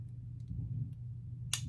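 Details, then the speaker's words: Pietta Colt 1860 Army revolver with a broken hammer cam, before repair, being pulled to half cock. A soft click, then a sharp snap as the bolt springs up and locks the cylinder. It fails to hold half cock, which hampers loading, though it can still fire. "That second click is the bolt down here snapping up, locking the cylinder in place, okay? It interferes with only that function."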